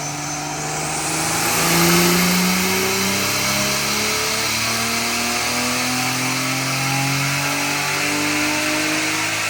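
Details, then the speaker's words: Drift Nissan R34 turbo on the dyno, first base pull at about 9–10 psi boost with rich AFR and no tuning yet. The engine sweeps cleanly up through the revs under load with a smooth, steady rise in pitch and no misses or knocks. It revs out and sounds healthy. "Just wanted to make sure it revs out, but everything revs out and it sounds good."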